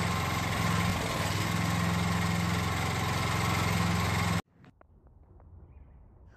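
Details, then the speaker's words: Coleman Powermate generator after valve lash adjustment, recoil cover and fuel tank off, powering a light: single-cylinder engine chugs with a lumpy, uneven beat before cutting off; owner suspects the carburetor needs attention and the idle needs adjusting. "luckily it makes power but it looks like the carburetors gonna need some attention and the idle looks like it's gonna need to be adjusted as well"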